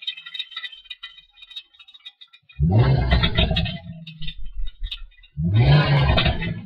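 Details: Mustang in neutral: two loud harsh metallic rattling bursts after quick revs, not in gear; after recent clutch, short shifter and diff replacement; owner suspects exhaust, noise seems to come from behind the seats, not under engine.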